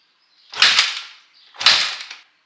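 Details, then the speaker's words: 2006 Honda CRF450X with 450R top-end conversion and used 2006 450R carburetor, choke off: two sharp kick strokes, no firing; idle screw found fully backed out, so it could not start. "Okay. I figured out what the problem was. This is what I suspected. I looked over here and I saw that the idle screw, like to adjust the idle, that was fully unscrewed, so it wasn't ever gonna start."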